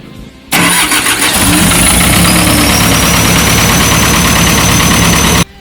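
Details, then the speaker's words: Kobelco SK200-8 excavator diesel starting and running with a rough, uneven, lumpy beat; operator complained of low digging power and rough engine. Rail pressure below standard, pressure limiter normal; bench test found internal and body leakage on injector number 2. "ini ada keluhan engine nya drop tenaga nya loyo dan setelah kita lakukan pengecekan ternyata ada kebocoran di injector nomor 2"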